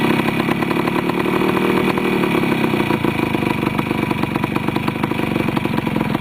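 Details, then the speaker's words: Restored Yamaha CT175 two-stroke with rebuilt carburetor, repaired clutch and pod filter: quick catch, then a crisp, even idle with steady firing beat and no misses or rattles; running healthy. "this is one of my better starting machines in my house I don't think I've got anything that starts as well as this does"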